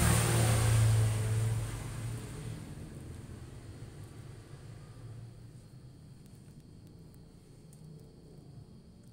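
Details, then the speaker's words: Polytron refrigerator compressor: low steady mains hum with buzzing vibration, motor never spins; start winding open, so it only hums and won't run despite power reaching it. "ini startnya ini putus sehingga tidak bisa muter jadi hanya dengung saya coba lagi ini tapi tidak muter"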